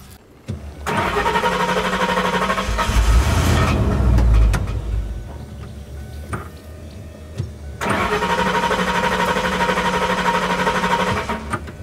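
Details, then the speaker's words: 1992 Lincoln Town Car, 4.6 V8: the starter cranks in two long, uneven bursts and the engine never catches. The starter seized again and does not fully retract, and a stone was found inside it; ignition works. "Par contre, le démarreur, lui, continue à faire des siennes puisqu'il se rétracte pas totalement après l'avoir actionné. Le démarreur a à nouveau grippé."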